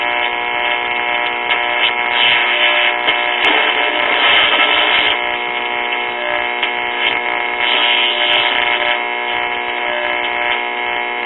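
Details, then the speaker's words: 1939 RCA Victor model 96T4 tube radio on outside antenna, voltage raised: station comes through thin and tinny with steady hiss and crackle, weak and distorted, picking up stations but faulty; AVC filter capacitor found open. "I mean, it sounds like it's picking up stuff, but got some issues."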